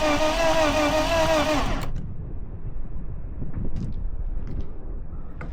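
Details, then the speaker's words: Project BMW E36 pulled from a field: starter whines briefly while the engine spins unusually freely and evenly without catching; plugs were dry, so no fuel, and the compression gauge reads only 50 PSI, pointing to low compression. "So, we know for certain it doesn't have fuel because the plugs weren't wet, but 50 PSI is not that much. What's going on with this thing?"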